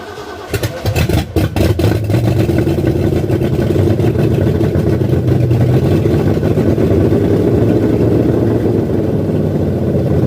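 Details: 1978 Ford F100 freshly built V8 on zinc-additive oil, first start: catches within a second, strong steady high idle for cam break-in, no knocks or oil leaks; normal first start.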